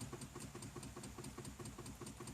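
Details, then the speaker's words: BMW 528i won't start: hood area gives fast, even clicking about five per second with no crank, dash dark, only hazard light and rear lights flickering; owner suspects fuse, alternator or battery, likely low-voltage relay/solenoid chatter, unconfirmed. "only thing that blinks is the caution light and my back lights and it's just making this click noise from the trunk it sounds i mean from the hood it sounds like just making a click sound"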